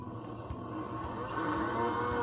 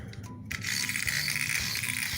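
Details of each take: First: Playart HO 2-6-0 steam model locomotive motor bench-tested with wires hooked up during repair: faint smooth whir climbing in pitch as it spins up, steady with no catching; motor runs fine. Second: Playart HO 2-6-0 steam model locomotive on track: fast, tinny ratcheting and clicking grind as the motor strains; a cracked gear or gear slipping loose on its axle suspected, unconfirmed.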